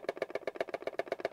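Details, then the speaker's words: TBS Mambo Tracer RC radio shaken near the mic with TBS Crossfire module loose in its bay, foam removed; quick even plastic clicking rattle, fixed by packing soft foam in the bay. "if i put it to the mic you can hear it rattling away and if i shake the radio"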